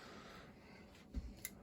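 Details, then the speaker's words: 35-year-old 1991 2-ton Rheem R-22 central AC, low on refrigerant, after thermostat call for cooling: one solid clunk then light clicks as contactor pulls in normally, compressor starting and running. "All right. That's the click we're looking for. Well, she's running. Hear that compressor running, too."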